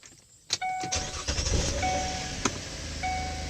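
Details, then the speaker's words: Impala at 160k miles, 5 years owned, after blend door actuator repair: three key-on chimes, engine cranks and settles into even idle, no more tapping/popping that occurred on every start for 3 days. "And no more popping noise. So it's been a rough 3 days dealing with all that popping every time it crank up."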